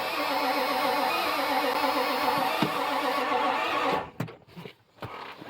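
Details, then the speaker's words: 1995 Ford F250 7.3 diesel in neutral, crank signal present: the starter churns about four seconds with no fire, then stops. Crank no start; a slight hiccup suggests it would fire with fuel, and fuel delivery is suspected. "Let me try and restart it again. All right, it does not want to fire off of anything. And that's not a good sign."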